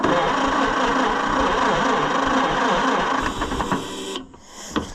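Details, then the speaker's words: Customer's Oliver 550 tractor, fuel had been off, points suspected bad: sluggish uneven cranking about three turns a second that sags and stops; nearly dead battery can't spin it fast enough. "Again, they were not very good. Battery's about dead."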